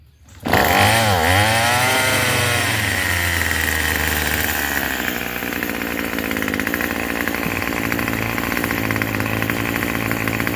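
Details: Craftsman 27cc two-stroke string trimmer, free used unit, started after priming with throttle squeezed and ten-plus pulls: fires up and holds a steady, high buzzing run without stumbling or surging; running normally.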